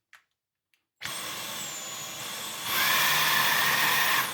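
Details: Dyson V12 Detect Slim Absolute cordless vacuum after hand-washing filter, seal possibly not fitting: motor spins up with high whine, steps louder, then sags and dies; pulsing cut-out persists, motor/main body suspected failed.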